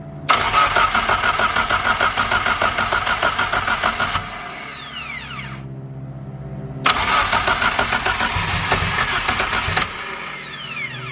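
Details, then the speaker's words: Toyota 4EFTE forged build from second-hand parts, first startup cranking: two cranking bursts with strong, even pulses about three per second, no firing; compression low at first, then normal and equal. "And it actually sounds like it's got good compression. For the first couple cranks, it sounded a little low, but it fixed itself straight"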